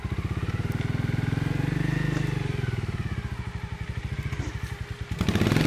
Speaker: キックは降りるけど、ガサガサ言うわ。